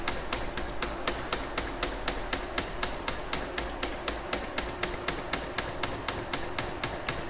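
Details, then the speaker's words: Atlantis EM-90 polymer makedown system polymer pump at 100% speed in hand mode, drawing neat polymer into the 125 ml calibration tube. Crisp, even ticks about four per second, steady stroke; normal priming. "We will set the speed to 100% and we'll turn it to hand. You'll hear the polymer pump start running as it starts drawing in neat polymer."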